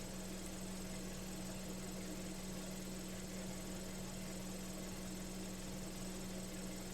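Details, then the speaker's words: Ford Falcon with replacement carburetor whose curb idle screw isn't touching anything: steady, fast idle with an even hum that never drops to curb speed; high idle. "The idle adjustment screw is not even working for it. The curb idle adjustment."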